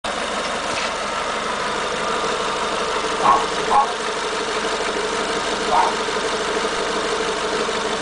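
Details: Renault Megane TCe 180 engine at idle, noise returned after valve tappets were replaced; even idle with scattered sharp ticks and blips from the top end, cause unclear: engine noise at idle.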